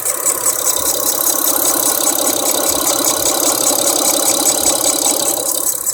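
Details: Mitsubishi 4G Eclipse engine: hissy, airy idle with a light rattly ticking of about two to three beats a second; the owner suspects a leak, but the cause is uncertain.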